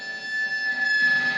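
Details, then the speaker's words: Chibson SG Angus Young replica with factory pickups on high-gain amp at bedroom level: steady piercing high squeal over hissy amp, louder as volume rises; microphonic pickup feedback, to be fixed by replacement Guitar Madness 1984 pickups. "if you had it doubled or tripled in volume, the squealing would probably be ridiculously uncontrollable."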